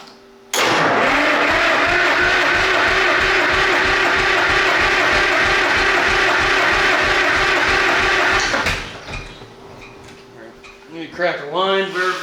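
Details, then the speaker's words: Rare 1938-40 GM Detroit Diesel 1-71 single-cylinder two-stroke: fast, even cranking chug that never fires; cranks but no start, no fuel flow from the pump because the fuel line was pinched by a shipping pallet strap. "yeah we ain't getting no fuel flow out of the pump never mind I see the problem all has been revealed"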